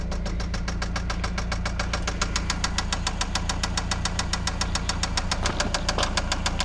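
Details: Eagle Talon ESi engine before rebuild: loud, sharp, regular knocking about three and a half per second over the idle, hammering steadily, a rod knock.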